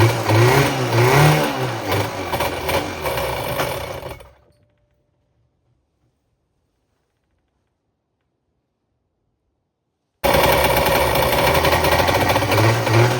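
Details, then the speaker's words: Running 1994 Kawasaki 550SX stand-up jet ski, reed-valve two-stroke on premix, claimed freshly rebuilt with oil down the cylinders, runs rough with wavering revs, cuts out and restarts ragged while smoking heavily; cracked water box suspected, cause unconfirmed. "She's running, but she's running real weird."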